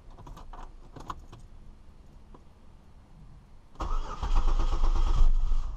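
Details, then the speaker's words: 2002 Chevy Malibu that cranked but would not start, after camshaft position sensor replacement: engine catches immediately and settles into a steady, even idle; normal start, problem appears fixed. "Ooh, it started right up. Looks to me we fixed the problem, I'm going to go ahead and turn it off and then turn it right back on."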